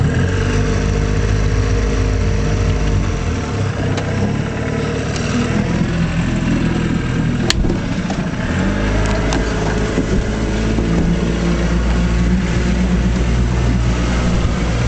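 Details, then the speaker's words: 1956 Johnson Javelin RJE-18 30HP two-stroke outboard with pressurized fuel system on 14ft Viking boat: steady even drone with one smooth pitch change, no misses or knocks; runs real nice, cleanly. "runs real nice. So much nicer than the new ones, you know."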